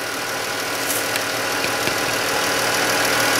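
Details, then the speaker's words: 2013-type Chrysler 3.6 Pentastar V6 at idle: light sharp tick about four per second from the right bank, suspected failing roller rocker/lifter; before rocker and lifter replacement. "there's definitely a tick on the they would call that the right bank but if you're looking at this way it's the left but it's actually the right"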